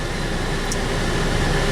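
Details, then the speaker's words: Saab 9-3 on a test drive, with a known throttle body shaft leak: AC gives a steady rush of air with a low hum and no rattles or squeals; it is cooling, though not very cold, and works normally. "AC still works fine. It's not the coldest one, but it's cooling."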